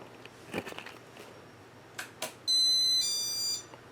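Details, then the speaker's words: Casablanca Four Seasons 36–38 inch ceiling fan, serial ES08720, acting up on speed and reverse: a few soft clicks then a loud high electronic ding held about a second, louder than before; faulty Intelli-Touch board suspected. "yeah that tone that but those dinging sounds definitely louder than they were before"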